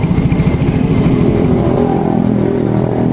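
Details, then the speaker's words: Yamaha X-Ride scooter that feels heavy, lacks power, seems to use a lot of fuel and gives pungent, eye-stinging exhaust: revving with a choppy, stuttering beat that sounds like banging; misfire when revving, cause not yet confirmed. "dari suara mesinnya ini ngebanting ya suara mesinnya ngebanting"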